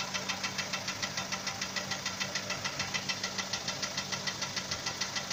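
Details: Hyundai Sonata 5 (TagAZ), Beta engine: sharp, even metallic knocking a bit over two per second over idle, appearing suddenly after spark plug replacement and a thread insert in cylinder 3; engine knock, cause not pinned down.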